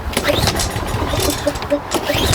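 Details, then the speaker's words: Lawnmower that only runs on quick-start spray in the carburetor: engine catches with a brief sputtering burst then dies within seconds; judged a carburetor issue, to be removed and cleaned. "Now if I try to restart it, it probably won't go. So it does start, but it dies right away."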